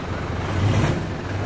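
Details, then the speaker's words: Mitsubishi Montero after rear brake pad replacement, stopping sharply forward: low engine rumble with no squeal or grinding from the rear brakes, noise gone. "Nakita niyo naman mga boss pag nagpepreno ako kahit biglain ko, wala ng lumalabas na ingay dito sa preno niya."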